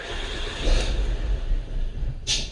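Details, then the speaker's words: 2007 Mercury Milan cranking and starting: uneven, stumbling low rumble, runs rough; misfire at cylinder 4 from a bad ignition coil. "all right didn't like that at all let's give this another shot here"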